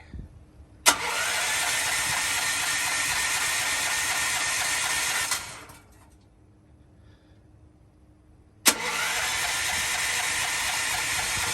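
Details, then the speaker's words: Propane-fueled generator, fuel tank just refilled, cranks in two long bursts of fast, even starter churning that never catch; propane regulator pressure was set far too high, shutting off the valve, causing the no-start. "I had that way too high. That's what the problem was. It was shutting that valve off right there."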